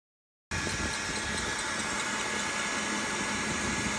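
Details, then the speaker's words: Creality K2 3D printer (CoreXY) while printing: steady high, even squeal over the running noise, loud enough to hear throughout the house; owner suspects a bad pulley, cause unconfirmed. "it sounds like a pack of mice are living in it and is so loud and such like the perfect pitch I can hear it in all corners of my house"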